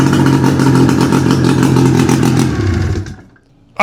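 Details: 600cc two-cylinder two-stroke snowmobile engine on a homebuilt sidewinder go-kart, first start after cracked-head repair and long storage, bad fuel; raspy revving strongly for a few seconds, dropping away, then firing back up, revving freely; little smoke, oil delivery questionable; normal running.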